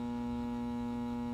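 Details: Shop unit's autofill being adjusted (fill to 4.5 inches, screw counterclockwise then clockwise until it turns off): steady low electrical hum, fill solenoid energised and buzzing normally before switching off; normal solenoid hum.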